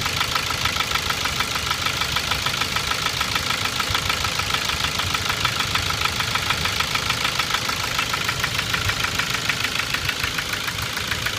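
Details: 2006 Ford Focus 2, 1.6 L 100 hp, automatic, at idle: hard regular knock at camshaft frequency, disappears above 1500 rpm; unchanged after 90,000 km. Owner suspects camshaft knocking in its bearings; piston pin or piston slap also considered.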